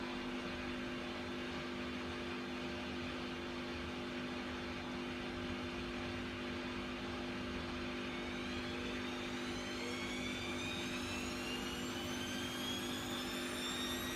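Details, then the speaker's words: Bosch Vario Perfect WAK28260GB/11 washer, empty drum, 1400 spin test for reported noise and suspected bad bearings: steady hum then rising whine as drum speeds up, no clear bearing rumble or clunk; bearing fault unconfirmed. "I don't know what to tell you. I think that wasn't a 1400 spin. I don't know if there's anything wrong with the bearings."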